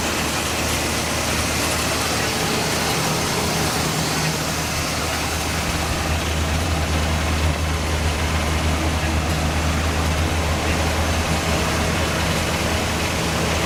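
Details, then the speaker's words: El Camino started after sitting 15 years, on fresh gas, with old oil and coolant not yet changed: steady, even low rumble, revved slightly, with no knocks or misses. It runs normally, though the fan belt wobbles. "I just want to show you guys that this thing still runs. So yeah, looks good."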